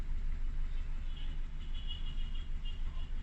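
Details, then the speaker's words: Warmed-up 4-cylinder car at idle, cylinder 1 fuel cut via Autel MP808TS active test: lumpy, uneven pulse about three times a second instead of a smooth hum; runs rougher, showing cylinder 1 is healthy. "So you can notice the car is running rougher. I've dropped cylinder 1."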